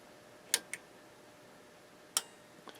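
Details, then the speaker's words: Yamaha CR-820 receiver at power-up after refitting a missing grounding bar to the tuner and main boards: sharp click about half a second in, softer tick, another crisp click; protection relay engages normally, drawing 20 W at idle. "here's our relay click drawing 20 watts at idle and everything looks like it's a go"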